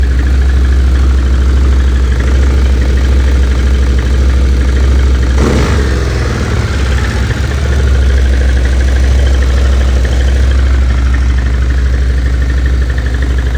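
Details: Stels Gepard 800 ATV: heavy low engine drone with a brief rev and faint dull tapping underneath; engine knock, cause unclear.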